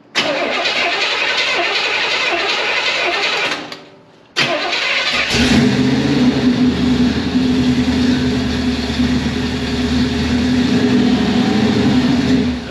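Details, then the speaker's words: 1978 Pontiac Formula Firebird 350 V8, revived after 21 years in a field; rebuilt Holley carburetor dumps fuel and floods despite good vacuum and closed-off float height. Cranks, pauses, catches, runs lumpy and uneven, barely holding on. Rough running from flooding carburetor. "vacuum looks really good on it it still just does not atomize good it dumps fuel"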